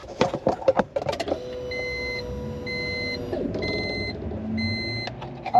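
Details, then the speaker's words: 2002 Honda Civic with B16 DOHC VTEC engine and 5-speed, unrun for over 10 years, new fuel pump installed: at key-on a steady low electric hum for about two seconds under dash chimes, then stops; pump primes normally. "the new pump is in just a quick test once I turn the key on you're going to hear the pump"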